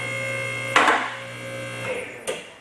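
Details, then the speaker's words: Two-post car lift raising with the arm locking splines engaged: steady pump hum, then a sharp metallic clack and a lighter tick as the first safety latch catches, which stops the lift coming down if a cylinder fails. Normal. "now what you heard there was the first safety latch to prevent the lift from coming down should a cylinder fail"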